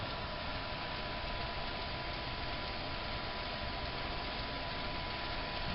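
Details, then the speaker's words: Newly built 2x72 belt grinder with small motor and treadmill-style speed control, running at speed setting 1 on a bare metal table: steady, quiet, even hum with no knocks or rubbing; belt tracking well; normal running. "And as you can tell, it's very quiet. All you can hear is a little bit of that little motor running, and you can see how well it tracks."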